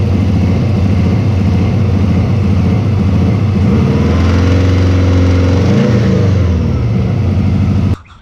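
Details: Turbocharged Subaru with a manual boost controller, whose hose was found holed against the turbo: loud, lumpy, uneven running that surges up and down instead of holding idle, with misfiring. The cause was found to be a failed idle air control valve (IACV).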